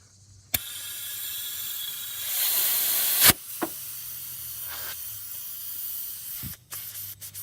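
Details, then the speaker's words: BMW 335i N54 boost leak pressure test: a steady, high, airy hiss rises then cuts off sharply as air escapes from a leak in the boost/intake system. Owner links such leaks to sluggish power. "you know I can also hear it leaking somewhere"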